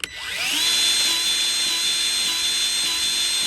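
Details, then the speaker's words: New Milwaukee M12 cordless grease gun priming its first grease tube with an empty hose: steady high motor whine dipping briefly about every half second as the pump strokes; normal priming pump operation. "I hear it pumping. So it's starting to prime itself"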